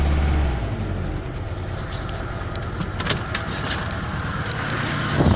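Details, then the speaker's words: Lada (Zhiguli) engine just started after thawing frozen water in the block and recharging the weak battery; it had stalled once before. Steady, even idle with no knocking or ticking while the block warms; antifreeze to be added; normal idle. "Завелась нормально, сейчас блок прогреется, вся вода с него уйдет"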